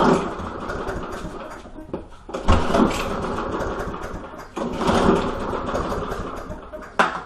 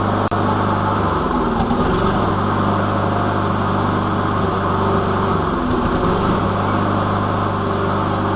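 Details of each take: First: Lawn mower: several rope pulls, each a short rushing spin that dies away with no firing. The engine turns over but never catches; cranks but won't start. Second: Lawn mower after priming: steady run with a couple of brief speed surges, then settles to even drone with no misfiring; normal running.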